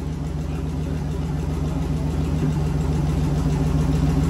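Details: V8 turbo burnout-car build, first start before turbo fitted, no alternator belt: deep even rumble with a steady regular beat, revs building slightly, no knocks or misses; running normally.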